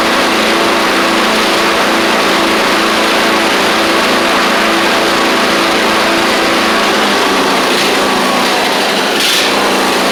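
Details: Craftsman YT4000 riding mower getting an engine swap (original 24 hp Briggs ran low on oil): steady, even engine drone holding one speed with no misses, knocks or hunting; runs really good, normal running.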